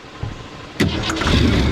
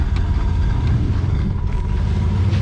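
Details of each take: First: 1963 Ford Fairlane 500 with 260 V8, abandoned for years, after new battery terminals: brief crank, then it catches cleanly and settles into a steady, deep idle with no misses; normal start and idle. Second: 1963 Ford Fairlane 500 with 260 V8, running: V8 rumble with faint light ticking in the background; the cooling fan is hitting the poorly positioned old fuel tank, which needs tying up better.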